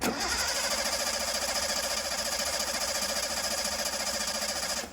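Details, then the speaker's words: Datsun 280Z rally car that stopped running, cranking while testing the Pertronix ignition unit: steady even starter churn about 3.5 beats a second, no firing; voltage only dips, no switching, so Pertronix is faulty and will be replaced. "All we saw there was the battery voltage dropping because the starter is running and trying to turn the engine over. We did not see it dropping between battery voltage and 0."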